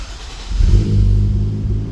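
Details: Toyota Mark 2 Chaser turbo, after a no-start fix: start relay wired through a 10 amp fuse so it cranks only in park. Engine cranks briefly and catches, then settles into a steady low rumble; starts cleanly, runs evenly.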